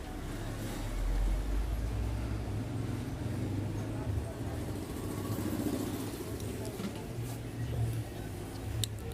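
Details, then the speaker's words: Noisy gas compressor (3000 model part) running after opening both side ends and removing the inner magnet: steady low hum, even rumble, no knocking; noise about 70% reduced, only a faint residual sound remains, machine working normally. "देखि दोस्तों आवाज इसकी तकरीबन खत्म हो चुकी है और मशीन बिल्कुल काम कर रही है"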